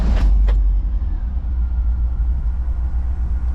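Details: VW Vanagon just after startup, out of gear, clutch in, no gas: deep steady low rumble with even beat, no knocks or ticks; healthy cold normal idle.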